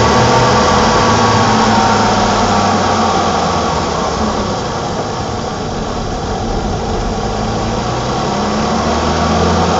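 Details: 1987 BMW E28 520i, M20 2.0-litre inline-six (129 PS), nearly 400,000 km, now running excellently; recorded on a phone with good low-frequency microphone; smooth, even idle with steady soft pulse, no ticking, knocking or stumbles; normal idle.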